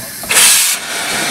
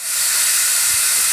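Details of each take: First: Steam boiler lifting injector on an overtype engine, first steam-up in 30 years: a sharp steam hiss settles into a steadier, quieter hiss, with feeding heard at the check valve; normal priming and feeding. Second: Overtype steam engine, boiler steamed up for the first time in 30 years: loud, steady high-pitched hiss with no mechanical beat under it; steam leaking from a loose fitting, to be tightened.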